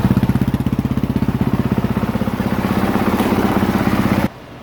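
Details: 2023 Honda CRF450R single-cylinder warmed to just over 200°F coolant, charging good at 13.64 V after a battery and stator check: even thump at about four beats a second, steady and clean until it shuts off; normal warm idle.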